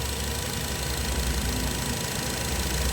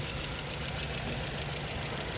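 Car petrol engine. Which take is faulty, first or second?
second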